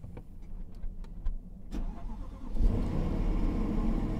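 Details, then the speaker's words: 2011 Jaguar XF Supercharged at Copart auction, 112,000 miles, suspension faults: a few clicks then the engine catches cleanly into a strong, steady idle with no knocks or misfires; healthy start, "sounds like a beast". "turn off the radio she sounds like a beast doesn't she"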